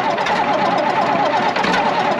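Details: Matador number 37 diesel started for the first time in about a year, in warmer weather: after coaxing, a busy, even clatter with a wavering mid-pitched note as the old diesel catches and runs steadily.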